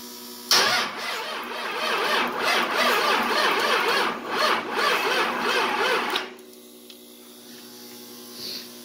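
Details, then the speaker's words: 24V Cummins diesel with VP44 pump, standalone wiring, first start attempt: uneven starter cranking about six seconds without starting, then quiet steady electric buzz of the lift pump priming fuel. "I think my problem whenever I had it hooked up on the truck is maybe the lift pump wasn't running so see then hear you hear the uh lift pump kick on"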